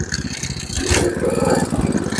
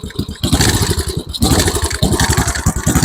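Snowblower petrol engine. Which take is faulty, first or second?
second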